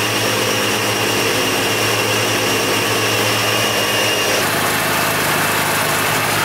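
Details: Mazda FC RX-7 13B rotary just after first start following weeks of work; smooth, busy idle with a steady buzzy hum and no knocks or misses; normal idle.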